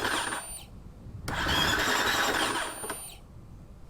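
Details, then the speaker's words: Husqvarna FC250 that wouldn't restart after a ride; the old fuel pump was silent. With a new pump plugged in, a thin, high whine starts briefly, stops, then runs again under a busy buzz. The new fuel pump primes normally. "that's the fuel pump guys the fuel pump is turning it is working"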